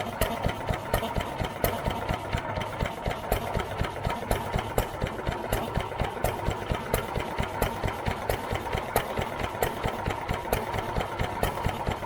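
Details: New Idea Vari Speed hit-and-miss engine, just restored and choked to start, idling unloaded with the mic near the valve: an even pop about twice a second with crisp, regular intake valve clicks and no knocks. Healthy; mixture still being tuned.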